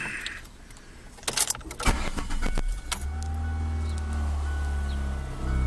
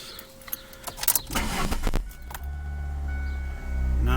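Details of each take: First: I've got a 2003 Ford Focus LX sedan and it's making a very loud rumbling noise almost like it's a lawnmower Second: 2003 Ford Focus LX after replacing the broken EGR valve tube that caused a loud lawnmower-like rumbling: engine catches and settles into a steady, even low rumble with no rubbing or rumbling noise; healthy idle after the repair.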